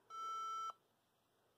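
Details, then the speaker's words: HP ProDesk 400 G3 Mini with non-T i5-6500 CPU on standard 65 W supply: long steady beep at power-on, part of three long, four short code read as wrong power supply. "and it does sound like yes it's basically saying hey you don't have the right power supply"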